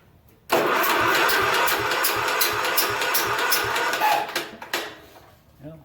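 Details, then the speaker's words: Junkyard Ditch Witch C99 trencher, old, year unknown, after lubing the starter bendix: starter cranks the engine at a steady churning rhythm with even, good compression pulses but it never fires; no spark, magneto and points to be checked. "all right let's do this well no spark put my finger on the whole check"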